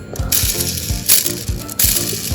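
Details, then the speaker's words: Mini 4WD FMA chassis gearbox turned by hand: rough rasping whirr with ratchety clicks, noisy crown and spur gear mesh, spur gear position catching and doubling the noise. "Jadi poinnya itu yang membuat FMA ini berisik. Terus ditambah lagi ini posisi spur gear juga nyangkut di sini, jadi ya gimana ya, double jadinya berisiknya itu."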